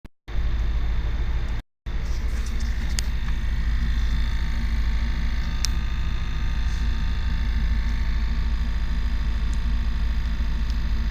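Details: 1987 Chevrolet K5 with 350 TBI V8 at idle: a deep, steady rumble with a light, somewhat irregular tick, started after an intake gasket change; seems to come from rear center near the distributor; distributor, PCV valve, lifters and EGR solenoid already checked; cause unknown.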